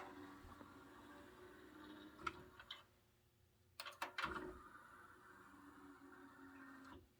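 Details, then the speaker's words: Carver SD/A-360 vintage 5-disc carousel CD player, empty: steady motor whir drives the tray out and back with firm clunks at each end; normal tray operation, belt no longer slipping after repair. "right now there's no cds so here i'll demonstrate the tray opens and closes fine"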